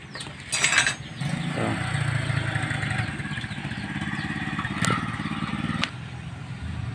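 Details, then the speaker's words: Honda XR200 single running with a light, rapid metallic clatter that keeps pace with idle. The broken cam chain tensioner spring was repaired but the noise remained; the timing chain is loose and the tensioner is at its limit, so a top overhaul is needed. "Ang issue pala nito mga choy is malagitik yung andar niya. At nung inayos ko siya, akala ko tensioner lang yung sira."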